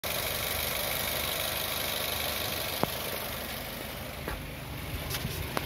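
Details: Car engine idling with a loud, steady, high hiss-whine from a failing water pump (worn bearing); using plain water instead of coolant is said to make the pump corrode faster.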